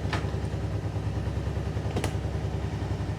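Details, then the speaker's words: 2008 Kawasaki Brute Force 750i V-twin ATV after belt deflection adjustment with spacers, no belt reset needed: runs at a steady, even low rumble with no squeal from the clutch area. "fire it up sounds good no squealing out of the uh clutch area beautiful gaag is"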